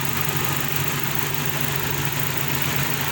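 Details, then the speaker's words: Honda CF after cleaning heavily carboned injectors to cure strong misfiring: steady even idle with smooth low hum, no stumble, taking throttle properly—normal idle. "हमें यह बहुत ही ज्यादा missing कर रही थी India actress के बहुत ज्यादा बंद है अल्हम्दुलिल्लाह गाड़ी में रहिए प्रॉपर्ली एक्सीलरेटर ले रही है"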